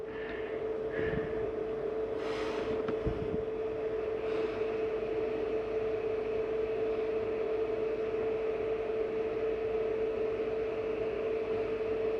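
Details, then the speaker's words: Flagstaff 832IKSB RV furnace running after being switched on at thermostat: steady, even mid-pitched blower hum with no rattles or pulsing; normal, takes a few minutes longer to shut off than the AC. "And there goes the heat. Now you'll notice when I shut the heat off, that takes a few minutes longer to shut off than the AC."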